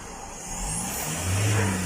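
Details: Mazda BT-50 Pro diesel, towed in as a no-start that several shops failed to fix, now repaired: clean rev that climbs smoothly and evenly, no knocks or misses; throttle response sounds healthy.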